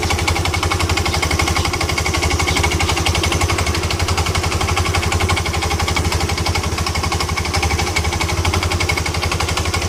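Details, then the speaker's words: Yamaha Ego LC scooter at idle: harsh rattling clatter about four per second, traced to worn, loose CVT parts rather than the engine, since the noise disappears when the CVT parts are removed. "Puncak tuh datang dari mana misua lepas semua jadi begitu hilang bermakna bunyi itu datang dari CVT yang masalah bunyi itu semuanya yang nih nyanyi longgar"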